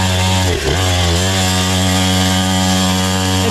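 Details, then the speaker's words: Temu 49cc two-stroke pit bike racing a lap: the engine screams at steady high revs while the bike barely gains speed and the rider pushes; the centrifugal clutch slips and overheats, smelling afterward. "Oh, that poor clutch is getting cooked."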